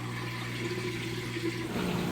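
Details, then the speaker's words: Maytag top-load washer at end of wash cycle: steady low pump hum with rushing water, no grinding or rattle; draining quickly before spin, then refills for rinse. "Get that drain running nice and fast there. It's going to drain all the water out before it does a spin to extract the used up water, and it'll fill all the way back up with fresh water for the rinse cycle."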